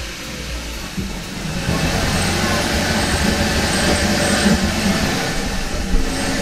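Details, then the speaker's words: 2013 Kia Ceed GT with replacement engine, cold start after swapping VVT solenoid: catches after cranking and settles into uneven stumbling idle with irregular dips; misfire persists, cause still unknown. "and of course it misfires I'm really starting to run out of options this may just beat me"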